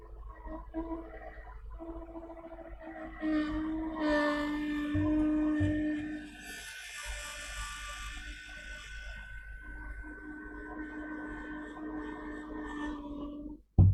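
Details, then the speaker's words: HP PS-4241-1HD power supply (12V main 16A) powered on the bench, 12V output present: cooling fan hums with a strained, wavering tone and never reaches a steady whirr; fan seized. "Yeah, we have 12 volts. It is working. It's just the fan is not working. As you can hear it, it is making noise."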